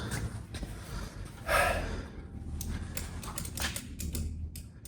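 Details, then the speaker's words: 1961 VW Beetle barn find, sat for years, 6-volt battery, first start attempt: a few sharp clicks with no cranking, solenoid clicking but starter not turning the engine; starter to be checked. "Yeah, I hear the solenoid or something like trying to engage."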